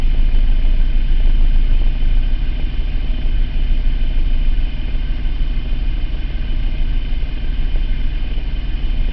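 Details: 2003 Mitsubishi Eclipse GT 3.0 V6, 92k miles, P0300 random misfire since 70k, only at idle; plugs, wires, cap, rotor, air filter replaced, compression checked: deep idle swelling and sagging with occasional uneven beat; hunting idle with random misfire.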